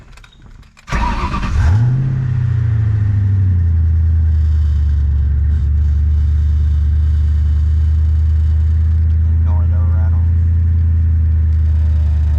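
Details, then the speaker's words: Ford 4.6L/5.0L/3.8L Mustang-type engine starting then holding a raised idle near 1500 rpm in neutral with an idle air control overspeed error, revs hanging between shifts; idle air control valve letting in too much air. "as you can see i got an idle air control over speed error and the engine idle is at about 1500 rpms and it rev hangs in between i'm gonna go ahead and start it up for you"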